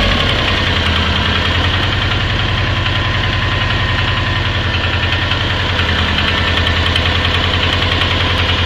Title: Стук мотора Subaru Forester SF5 EJ20 Turbo АКПП & МКПП (вкладыши)